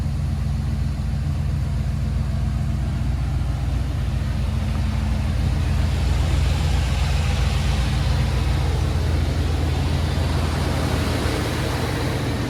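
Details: Chevy G20 4x4 camper van on its first short drive out of the shop, transmission shifting twice: steady low drone and tyre rumble, no knocks, creaks or clunks; driving normally.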